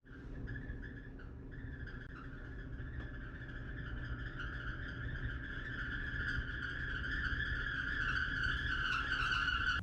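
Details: Maytag Bravos dryer, about 6 years old, running with a loud, steady high squeal over the drum rumble, caused by the idler pulley; rollers and pulleys were inspected and replaced.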